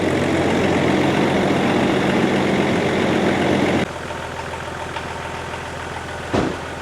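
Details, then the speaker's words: Range Rover P38 V8 idle after the crank pulley and water pump were replaced: smooth, even and steady with no front-engine rattle, where before it sounded really rough; normal idle. "So before, it was sounding really rough, but now it definitely sounds a lot smoother."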